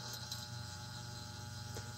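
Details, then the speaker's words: Hydrolevel VXT-120 automatic steam boiler water feeder on the bench, not connected to water, just timing: feed solenoid valve energized, giving a steady even low mains-pitched hum with no chatter; normal operation. "Oh, there we go. You hear the hum. Remember, it's not hooked up to water. It's just a timer."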